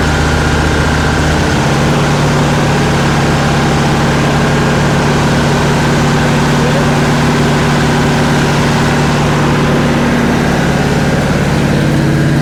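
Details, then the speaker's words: Freshly rebuilt Ford 390 V8 in classic Ford service truck during break-in, timing being set: loud steady rumble with a fast irregular beat and an extra mechanical tone; suspected throw-out bearing, unconfirmed. "Do you hear that other noise? Maybe a throw-off bearing or something."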